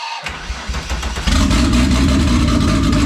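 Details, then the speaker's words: First start of a rebuilt turbo, methanol-injected VR6 with turbo plumbing not yet fitted: cranks, catches and settles into a ragged, stumbling idle pulsing about four times a second; owner blames vacuum leaks and a tune set up for the turbo. "that's enough sounds i mean well yeah it doesn't have any of the turbo stuff so it's tuned for turbo and it's got vacuum leaks you know"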